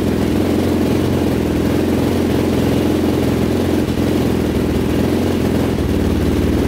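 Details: 2005 Yamaha YFZ450 big-bore quad, first start after rebuild and shifting fix with fresh oil: steady, strong single-cylinder beat with even firing and no knocks or rattles, though it briefly seemed like it might die; exhaust pipe glowing red hot afterward, cause unknown.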